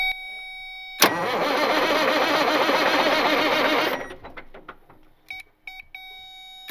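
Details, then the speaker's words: Cat 16H grader Caterpillar 3406C diesel, abandoned about a decade, drivetrain and hydraulics disconnected, fuel hand-primed, no starting fluid. A short crank catches quickly into a loud, even run. Normal cranking and start. "we'll get this thing to start with no starting fluid or anything that's it yeah then we know it's a good one"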